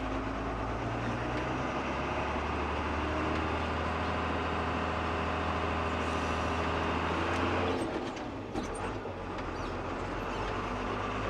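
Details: Tractor road test in about 35°C heat: even diesel drone pulling smoothly with no slip or shudder before easing off near eight seconds; normal clutch engagement.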